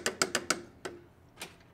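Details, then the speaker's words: Stihl FS 91R trimmer that died in use, turned by hand: flywheel and rocker arm move but piston doesn't, with sharp metallic clunking clicks; major internal engine failure. "the flywheel does turn but you can hear that clunking noise and I got a rocker arm I got some rocker arm movement here but my piston is not moving in the cylinder so that is not a good thing"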